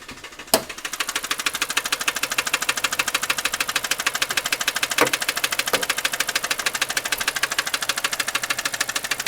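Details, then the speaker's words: Car with 235,252 miles at idle: sharp, even ticking knock about twice a second, plus a small oil leak; knock sensor replaced without effect. "here that knocking right in here a little bit of oil leak right there a lot of a lot of knocking"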